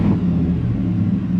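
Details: Truck after installing a salvage-yard PCM with its VIN rewritten, which fixed the steady red lightning bolt and accelerator pedal position sensor codes: deep, strong rumble holding steady through the rev with no stumble or hesitation.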